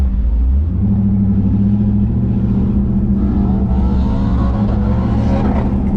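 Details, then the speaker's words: LSX V8 swapped Infiniti G35 on first drive, revved: deep rumble pulling up smoothly with strong intake roar, no knocks or misses; normal revving. "it sounds good from about here there's a lot of intake noise from up here yes it's a good s an engine set up"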